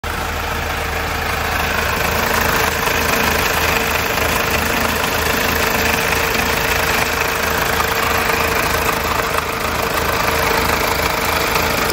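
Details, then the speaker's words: Mazda 2.2 Skyactiv diesel idling: steady fast metallic rattle; timing chain suspected, sump removal showed tensioner fully extended and chain likely stretched, nearly touching the block casing. "We carried out investigation for the rattling noise. We suspected the timing chain."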